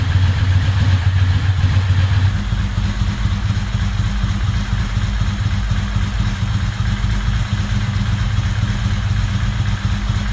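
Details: Ducati 916 twin after replacing the fuel pump quick-connector O-rings to stop fuel leaks; fires up into a steady lumpy idle with an even beat, no misfire or knock, though idle is a little slow before pilot screw adjustment; normal idle.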